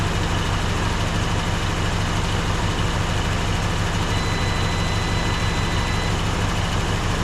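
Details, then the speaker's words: Smooth even low thump at steady idle from a 1954 Dodge Coronet V8 started after 42 years in a garage, oil pressure primed to about 35 psi, fuel pump running, not leaking; no misses or knocks; running healthy. "not leaking a drop. Listen to that motor, folks."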